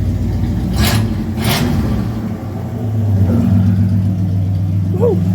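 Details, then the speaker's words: 1968 Camaro V8 after points gap, dwell and timing adjustment; it had run rough at 1500–2000 rpm. Deep rumble now picks up cleanly on throttle and settles back without popping or stumbling; normal revving. "All right, so that should be good, man. I'm so glad I did that. It works."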